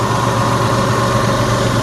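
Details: 2003 Jeep Liberty idling after alternator replacement, battery light off and charging at 13.9 volts; smooth, steady low idle with even pulse, no knocks, squeals or misses; normal idle, though it reportedly overheated and is low on water.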